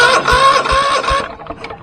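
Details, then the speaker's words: Ferris ProCut Z 61" mower, Kohler 22hp twin: one cylinder has zero compression, suspected thrown rod from low oil; heavy uneven thumps about every 0.4 s with whirring squeal, shaking badly, then winding down. "and when it starts up and runs it shakes really really bad"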